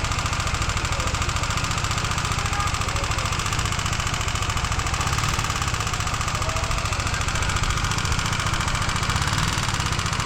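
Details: Honda CBR150R engine knock: sharp, steady, loud metallic tapping three or four times a second over idle from the top end. On teardown the owner suspects a loose intake-side part, with a screw missing and sand-like debris inside. Not confirmed.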